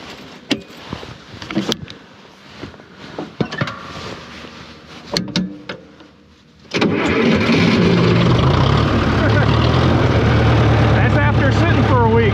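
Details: 1968 John Deere 500A (industrial 3020) diesel, parked over 10 years, now on fresh treated diesel on a warmer day: quiet clicking, then it catches at once into a steady, even idle without hunting; normal cold start.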